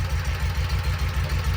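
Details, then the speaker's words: 2012 Kawasaki Mule 4010, liquid-cooled V-twin, 250 hours, after replacing a broken spark plug: steady, even low thump at idle, now firing on both cylinders; that cylinder had loaded up with fuel when it misfired. "Go ahead and start it. Boom. Boom. Boom. Boom. Hitting all two cylinders now."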